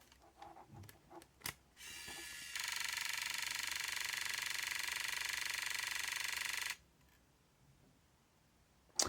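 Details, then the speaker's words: Aiwa AM-F75 MiniDisc recorder under failed repair: after lid clicks, closing the lid with a disc loaded makes the laser sled move, giving a harsh high buzz with a fast rattle for about four seconds. This is an abnormal vibration, cause suspected. "I've put the dis in you might be able to hear it when I close the lid the the sled does move then we get that vibration"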